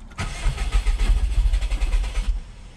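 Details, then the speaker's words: Bugeye Subaru WRX cranked after a Deatschwerks 200 fuel pump swap, with an earlier running issue still unfixed: the starter churns in even pulses for about two seconds, then the engine stumbles and dies; hard start, possibly the pump not yet primed. "fingers crossed it all starts so we'll turn it on Let the fuel pump Prime I'm hoping it primed so I guess if there wasn't fuel it won't start"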